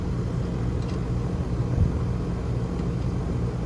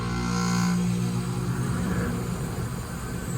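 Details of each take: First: 2011 Rheem R-410A condensing unit after patching the squirrel-chewed thermostat wire: even, deep rumble holding steady with no surging, rattles or squeals; unit up and running normally. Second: Rheem gas pack about 10–11 years old with an R-410A leak, power restored: low steady hum with a faint whirring on top; outdoor fan and compressor running.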